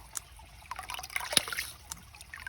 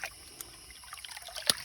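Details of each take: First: Hydraulic ram pump restarted at 6 a.m. after shutting off; drive line irregularly gurgling and spitting air with no steady pumping beat yet, before the ram catches and runs; air in drive line. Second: Hydraulic ram pump restarted after shutting off, water trickling with a sharp valve click now and then; it is cycling, and consistent clicks mean normal operation, though some water bleeding may need the line bled.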